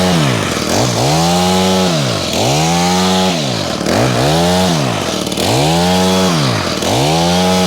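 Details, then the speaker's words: Honda HHH25 two-stroke hedge trimmer after carburetor replacement: crisp blips from idle to high revs about every 1.5 s, settling cleanly. It revs higher and is more responsive than before; running healthy. "The idling's better. Seems to be running okay. It's idling at a good speed as well now. I don't know about you guys, but in the last video, it didn't seem to be revving quite so high either. More responsive."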